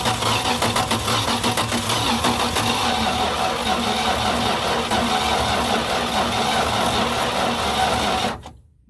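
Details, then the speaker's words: Plymouth Duster, said to be parked since 1994, cranking on a drained battery: labored, uneven cranking at about three and a half turns a second that never catches, then dies off; slow cranking from a weak battery. "it's just like man that battery has drained all the way back down that's my problem I don't have a good battery man"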